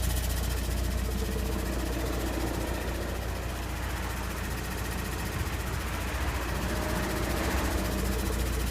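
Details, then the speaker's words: 2013 VW Passat diesel manual, 45,000 miles: steady, fairly quick ticking at idle in neutral with foot off the clutch, from where engine meets transmission, stops when clutch is pressed; clutch engagement high; cause unknown. "okay so the car just started uh neutral foot off the clutch ticking noise appears to be coming from the driver's side area"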